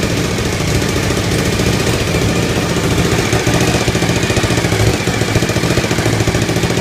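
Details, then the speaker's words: Suzuki TL1000R V-twin, first startup after four-month restoration: high, lumpy idle with uneven exhaust pops and hiss; exhaust leak as gasket not yet fitted, missing donut suspected; white smoke blown out after sitting. "Blew out a lot of white smoke from the exhaust, but I guess that's normal for not running. Sounds strange though."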